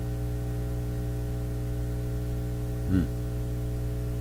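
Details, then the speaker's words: Nordmende Elektra F13 tube radio warming up after switch-on: low, steady mains-type hum with a brief swell near the end. Technician suspects the power supply; much of the hum was then traced to a test clip lead. "sounds like a power supply on it it's changing that could be defective too"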